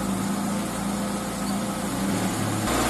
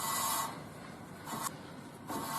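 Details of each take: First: Car wheel after wheel bearing replacement, lifted, neutral, rotated by hand, after bending back a deformed metal shield that was rubbing the brake disc: even steady hum, no scraping or rubbing at low or high speed; normal wheel rotation. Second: Wheel spun by hand with the car lifted in neutral and the brake pads removed, after a recent wheel bearing replacement: slow rasping scrape swelling and fading with rotation, louder at speed when driving; a dust shield bent during that job is rubbing the disc, and bending it away fixes it.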